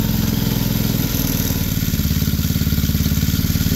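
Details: TRex 125cc single-cylinder after carburetor replacement and freeing a sticking throttle cable collar, idling at an even quick thump with a healthy steady beat; runs normally.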